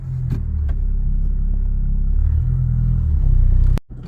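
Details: 2003 Saturn Ion with F23 transmission, turning after front axle replacement: smooth steady low rumble with no clicking or popping. The earlier click was the failed axle, and the new axle sounds healthy.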